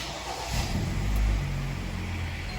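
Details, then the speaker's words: Kia Sportage G4KD at 106,000 km, first start after an engine overhaul for a knock: it catches and settles into a steady, even low idle; oil pressure comes up with no knocks or extraneous noises. "давление пошла работает ровно все хорошо ключ на крыше положено кстати тучей ну что никаких посторонних звуков абреков ничего нет"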